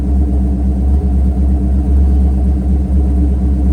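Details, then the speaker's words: Mercury Grand Marquis 2V V8 with Todd Warren custom-grind cams and an AFE intake modified so the IAC valve works: a deep, lumpy idle with a steady loping beat about once a second, running evenly. Normal cammed idle. "But we'll start it up real quick and let it idle, and we'll see how the cams sound."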